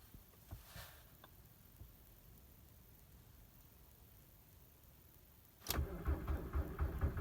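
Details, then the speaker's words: 2003 VW Jetta TDI (ALH) at about -20°C with roughly 20% biodiesel and no oil pressure: steady crank of about four beats a second that never catches as the battery tires; owner suspects biodiesel or poorly working glow plugs. "getting weak okay and start at minus 20 or minus 25 or whatever it is could be biodiesel related"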